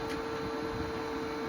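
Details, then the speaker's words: New replacement Renogy inverter/charger (updated model) going through initial startup, outputting 119 V; soft steady fan whir with clean mid-pitched hum over quiet room noise, the cooling fan starting up normally. "fan hooking up, or fan starting up. So all right, well, we can put that shunt back on."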